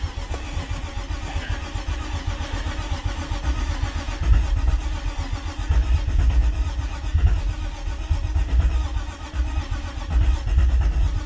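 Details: BMW E36 sedan with no-start issues, just after a fuel pump swap with the hoses not yet tightened and the starter clicking oddly: long, steady, even cranking that never catches; a crank-no-start, cause not yet known.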